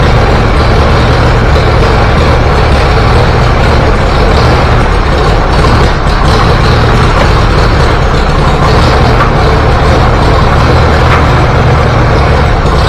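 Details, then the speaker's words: Antique Farmall B tractor, warm, first trip outside: low chugging run with stumbles and dropouts as spark fades; weak ignition coil. "It's starting that same crap that I was doing with the spark earlier. Alright, I'm not taking it any further outside."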